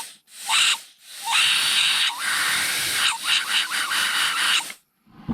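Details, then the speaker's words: Mercedes-Benz 5G-Tronic automatic transmission during disassembly, air check with shop air on the B2 piston return passage: short bursts of high airy hiss with a faint whistle. The check ball is passing air normally. "This is going to be the little return section right here, and there I hear that check ball whistling."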